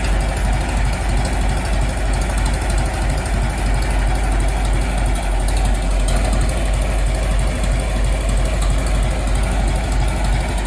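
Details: Restored 1921 American LaFrance fire engine after its finished restoration: a steady, even low rumble with no misses, knocks or surges; the old four-cylinder idles healthily.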